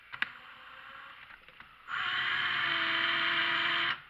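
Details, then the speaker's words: Craftsman impact wrench: brief low-speed run gives a steady buzzing drone with a rough hum on top; fault only at low speed, goes away at higher speed; cause not yet found. "in my opinion it's at low end but there's something wrong with it and when you get up with it it doesn't do it anymore"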